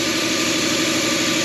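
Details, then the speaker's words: Lexus first start after 10 years stored, emissions parts, fan, belt and coolant hoses refitted, alternator fuse blown: engine idles steadily but with uneven hollow drone, not clean, blue-white smoke from old oil buildup. "It's idling? Somehow? The car is running. That's an improvement."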